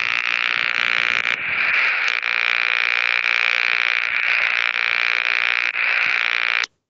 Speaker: all right here was a classic who would think that a dimmer could make like there